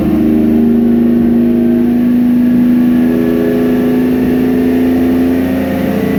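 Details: 1999 Nissan Frontier Turbo revs climb smoothly for several seconds without misfire. This is after crank/cam trigger and home signal breakup near 1400 rpm, which had capped revs at 1600, was fixed by setting ECU filter levels to 0. Clean free rev.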